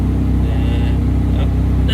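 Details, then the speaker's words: Mitsubishi Evo X on dyno during tuning: steady low idle with small irregular exhaust pops because idle runs a little lean; tuner plans to richen it. "And you can kind of hear the little pops in the exhaust cuz it's running a little too deep. Um, so we'll probably end up richening that up a bit."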